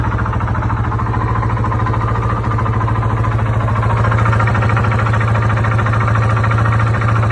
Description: Rides Good but can’t figure out what’s making this sound. Sound like it’s coming from the lower.